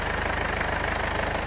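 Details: 2015 Mercedes CLA 220d diesel with a leaking injector that caused a puff noise: an even, smooth, steady diesel clatter with no misses or surging. Engine running healthy.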